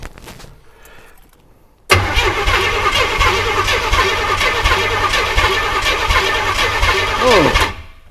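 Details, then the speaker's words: Imported GMC Vandura V8 petrol van, long non-running: starter spins the engine at about four even beats a second for roughly six seconds and it never catches; no petrol reaching the carb, fuel starvation suspected. "there's not a lot of petrol coming out of there well actually put it the other better way there's no petrol coming out of there"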